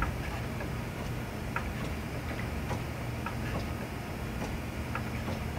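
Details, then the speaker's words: Subaru WRX STi with the front wheels off, front wheel rocked by hand: faint, uneven knocks over a low rumble. Owner guesses play in the power steering rack plunger because the rack lacks fluid pressure; cause unconfirmed. "I mean it goes smoothly on either side both ways but when I rock it back and forth"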